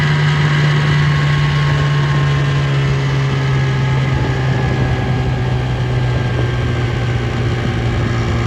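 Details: 1958 Gambles Hiawatha 10hp Scott Atwater antique outboard, restored, completely stock: steady running with strong constant whine over the exhaust; gear case whine, which was louder before.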